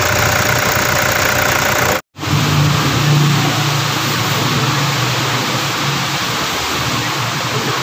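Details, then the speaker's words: Engine after repair near alternator belt area: smooth even note with clean revs, no squeal, chirp or rattle; earlier noise gone, running normal. "Wala na po yung ingay na kumalag singsing singsing na po ah papalabas na to matatapos na ngayon naala na yung ingay ng ahang kal magising na lalo na agag may n- rebolusyon po ngayon normal na normal na po Okay normal na"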